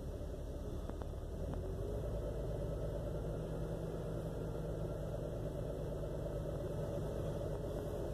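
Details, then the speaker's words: 2001 Jeep Cherokee XJ Limited at start: low, uneven chugging idle with a lumpy stumbling beat, seemingly running on four cylinders, check engine light flashing; rough idle misfire that clears after driving, cause unknown (owner wonders about vacuum leak, ECU, coil packs, fuel pressure regulator). "it's only running off on four cylinders and chickens and light flashes it just runs real rough it's running really weird"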